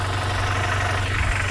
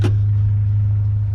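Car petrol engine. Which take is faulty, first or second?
second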